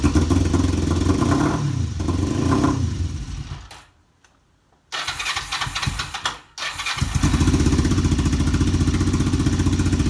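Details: Kawasaki EX500 twin started for the first time in a couple of years. It stumbles and cuts out, then restarts to an uneven lumpy idle and won't stay running; owner wonders about the carb. Rough idle.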